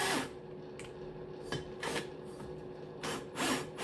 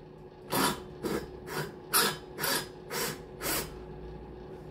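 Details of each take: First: Cox 1641 engine, new cylinder head, valves lapped with a drill in a cold garage (about 2–3 °C); slow back-and-forth rubbing strokes, soft and even with no gritty cutting left, so the valve seat is fully lapped. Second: Valve lapping on a new cylinder head for a Cox 1641 engine, valve spun back and forth by a drill in a 2–3 °C workshop: gritty rasping bursts about twice a second; lapping compound still cutting.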